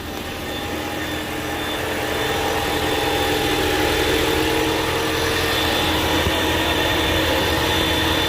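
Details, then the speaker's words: 2022 Ford Maverick Hybrid after fixing no-crank, no-start, no-dash-lights fault caused by a broken rear-battery power cable eyelid connection, reassembled; smooth steady hum with faint even tones, no knocks or misses; everything working, no codes, normal running. "Well, now everything's working real good."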